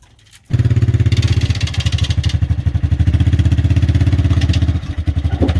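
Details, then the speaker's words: 1986 Chevrolet Silverado C10, original 305 small-block before swap to a 350: thumping, uneven clattery idle that stumbles now and then; rough running, cause unknown. "so i don't know how well you could hear it she ain't sounding too good"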